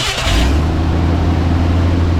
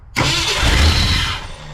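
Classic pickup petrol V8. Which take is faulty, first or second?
second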